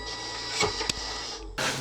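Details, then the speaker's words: Small DC motors of a homemade launcher driven by low-frequency PWM from a microcontroller: steady high-pitched buzzing whine from motor vibration, before raising the PWM frequency beyond hearing; audible PWM motor whine. "Ils sont contrôlés en PWM, qui me permet de gérer la vitesse des moteurs grâce au microcontrôleur. Le problème c'est qu'avec cette méthode, ça fait vibrer les moteurs et ça fait du bruit."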